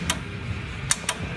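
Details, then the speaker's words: Winch contactor test with the key on: sharp single clicks, four in about a second and a half, with no winch motor turning. A test light shows power reaching the contactor, which has failed internally. "So it's getting power to there. It's just the contactor is internally f"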